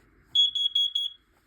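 A shrill high tone pulses rapidly for about a second, then stops; the alarm sounds normally when tested.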